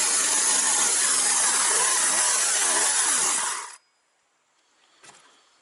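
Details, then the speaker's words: Partner 351 chainsaw runs loud and fast on choke, then stalls abruptly when choke is removed; carburetor inspection found cracked intake adapter between cylinder and carburetor needing replacement. "Короче, я заводю, вона на подсосі роби. Подсос убираю, вона глохне."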